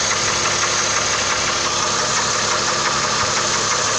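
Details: 2006 Trailblazer 4.2 Vortec at idle: faint irregular tick about three per second; engine knock, owner suspects water pump or bearing, possibly a cylinder.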